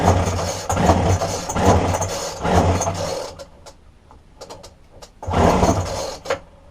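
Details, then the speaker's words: Roadside-dumped McCulloch two-stroke strimmer with a broken fuel line from tank to carburetor, fuel poured into the spark plug hole: it catches and buzzes a few seconds, dies, then fires briefly again. It runs only when primed. "look in the fuel tank and straightaway I can see that the fuel line from the fuel tank going into we're up towards the carburetor is broken so I strip it down and well what I'm going to do first is I'm going to put some fuel into the spark plug and we see if that works"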